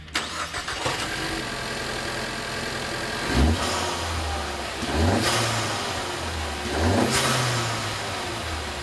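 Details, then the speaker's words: 2015–2021 Ford Mustang EcoBoost just fitted with a COBB cold air intake: three quick revs climb and fall back to idle, each ending in a loud whoosh. The intake is more audible and the blow-off valve a little louder. "As we expected, you can definitely hear the intake more, and the blow-off valve is also a little bit louder."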